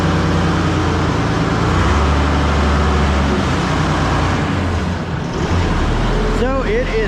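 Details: Ford 6000 diesel tractor just started after alternator install, amp and trans gauge lights out and charging: steady, even low diesel chug at idle with no knocks or misses; normal idle.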